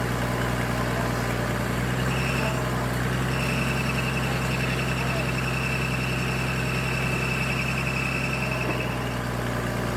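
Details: Military surplus forklift idling in neutral after adding hydraulic fluid; steady even idle, constant low hum, no knocks or misses; it runs and hydraulics work, though a hydraulic leak or overflow is noticed.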